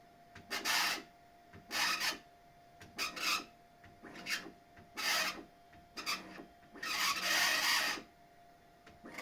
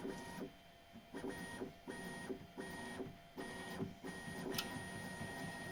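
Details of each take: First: Bambu Lab X1 Carbon 3D printer: raspy squeaking bursts as the bed moves, slightly louder moving up, caused by the belt rubbing against the upper or lower flange of its idler tensioner pulley. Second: Bambu Lab X1 Carbon 3D printer bed moves in short whirring bursts with steady stepper tones; the squeak, caused by the belt rubbing the edge of the tensioner roller, has nearly vanished after soap lubrication.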